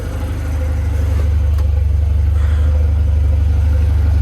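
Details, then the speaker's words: Volvo 740 Turbo idling after fuel pump replacement, not charging at idle: deep idle pulsing about four times a second, uneven fluttering until given gas; idle flutter, cause unclear. "and that's kind of weird it'll flutter like that until I give it some gas"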